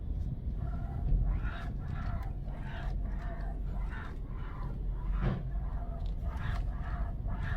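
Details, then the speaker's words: 2018 Hyundai Sonata rental car, about 86,800 km, steering noise persisting after underbody parts were replaced elsewhere: rasping scrape repeating about twice a second over a low rumble with each turn of the wheel; clock spring interference suspected, not confirmed. "예 지금 보시면 핸들을 조작할 때마다 뭐가 쓸리는 소리가 계속 납니다"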